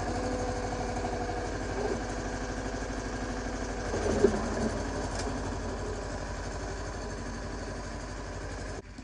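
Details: Yanmar 1500D diesel tractor with blade on three-point hitch, after fixing backwards-installed hydraulic filter and replacing o-rings: steady even idle with brief load swell as the lift cycles smoothly, no cavitation whine or chatter.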